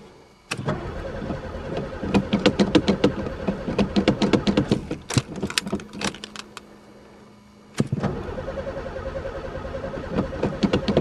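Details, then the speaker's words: Pontiac not run for 3 years, battery fitted, sticky throttle, gas dumped in the carb: two long bouts of steady starter churning, about three pulses a second, never firing; cranks but won't start, no spark suspected, not confirmed. "um throttle stuck I'm going to dump some gas in the carb don't tell me this one's got no spark too there even gas dumped in it um this ain't a good day definitely um I give up what a waste of time"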